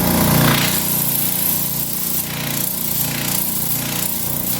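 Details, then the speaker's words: Final test of the used Schulz direct-drive air compressor after the counterweight fault was fixed and the clogged, blocked intake cleared: a steady pumping chug of about three strokes a second with no metallic knocking. Clean compression and full air output, normal running. "vamos lá válvula aberta sem nenhum barulho metálico Só o barulho da compressão"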